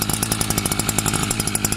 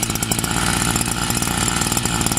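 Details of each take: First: Newly bought two-stroke brush cutter (scythe engine) just started from cold. A fast, raspy putter at about ten pops a second, rich and slightly uneven; still running on choke while it warms up. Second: Newly bought brush cutter (scythe) engine, small two-stroke, low on fuel, slow to start when cold. Buzzes at a fast, steady, even beat with no misses or surging: normal idle.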